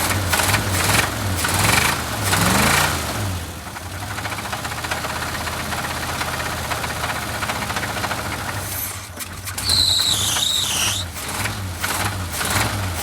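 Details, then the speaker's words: Blown engine on a mildly chilly start: rough cold running with deep, uneven knocking two or three times a second; owner says definitely a rod knock. "yeah it's definitely a rod knock"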